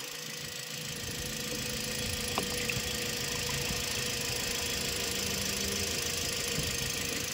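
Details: Toyota Vios (about 2017) idling after water pump replacement for an engine grinding noise: steady idle under an even airy hiss, no grinding or bearing whine from the front of the engine; repair fixed the noise.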